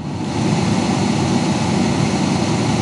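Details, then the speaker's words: Ford Ranger cabin blower motor on high after repairing a noisy blower: steady, even rush of air with no humming or rattle, the normal sound. "you know right now pure air you don't hear any of that humming or anything in the background and that's what it's supposed to sound like"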